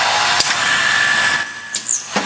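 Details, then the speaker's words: Twin-spindle drill head with 7/32" jobber bits at 3400 rpm, direct-drive motor, drilling 1 1/8" wooden handle at 50 psi: steady whir, then thin high squeal near stroke bottom; chips suspected packing in flutes, bits about 95–101 degrees. "so you can hear that high-speed squeal. And what's happening is that about 101 degrees for the left drill bit, and then about 95 degrees for the right drill bit."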